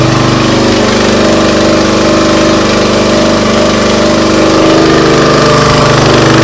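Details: Briggs & Stratton CR950 208cc engine on a Diamond 25-ton log splitter, after carburetor cleaning for a no-start following a couple of years unused: steady, even beat at mid throttle with no hunting or surging; runs cleanly.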